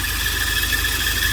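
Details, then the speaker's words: Volvo 940 at idle, all three auxiliary belts squealing; water sprayed on each belt, power steering belt quietens most, so it is the main culprit: constant high-pitched squeal from loose belts, all three need tension adjustment. "Let's try the power steering. Oh, there we go. That's the main culprit."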